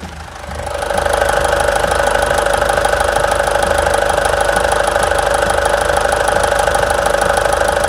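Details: Mitsubishi Triton 3.2 diesel at idle after new valve cover gasket and valve adjustment: steady even clatter about three beats a second, no misses or knocks; healthy.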